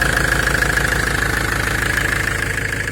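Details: 2002 Ford Transit 2.4 diesel, 90 hp, after replacing a worn, dried-out belt idler pulley that whistled loudly: a steady, even idle with no whistle or squeal, running clean.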